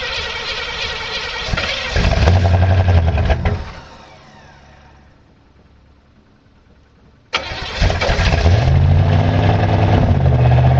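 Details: 1985 Chevrolet Monte Carlo SS V8 cold start with broken electric choke, car sat 14 years, burns oil: runs rough, sags and dies, refires and settles to a lumpy cold idle; choke worked before, one key turn started it.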